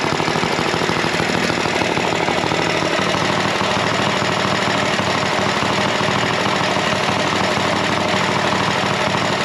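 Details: Go Power Sports Rascal mini bike, single-cylinder, running after completed build: fast, even popping at steady speed with loud buzzy exhaust; runs smooth and healthy.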